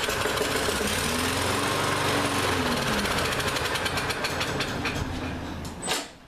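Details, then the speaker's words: Lawn-Boy mower that ran fine last season, air filter removed, starting fluid sprayed into the carburetor intake: engine catches and pops about four beats a second for several seconds, then dies; it has spark, and a gummed-up carburetor starving it of fuel is suspected. "it also died which means that probably isn't getting fuel which means that the carburetors probably gummed up"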